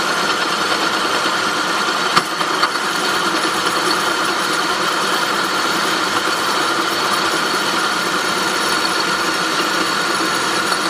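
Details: 2003 Saab 9-5 at idle: steady, harsh metallic grinding noise from the engine, constant throughout.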